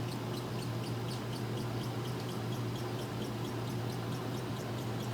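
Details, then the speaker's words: Washer during spin: rapid high chirping squeaks over a steady low hum, from the fill hoses rubbing together at the back; belt also seems to need tightening or replacing. "I know you can hear that squeaking, but that's the fill hose back there rubbing together."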